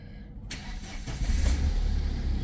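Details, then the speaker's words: 2012 Tata Safari diesel, first start after an airbag circuit repair, with all warning lights and fault codes cleared: a brief crank, then the engine catches cleanly and settles into a steady, deep idle without misses or knocks. "भाई सब fitting फाटिंग कर दी मैंने, एक बार start करके देखते हैं"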